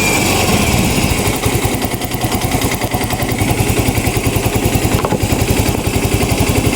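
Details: Yamaha Mio i 125 scooter at idle, misfiring (palyado) and smoky; hard starting, electric start doesn't catch, TPS drifting out of adjustment, O2 sensor voltage not reaching 1 volt; irregular stumbling pulses with skipped beats, engine misfire.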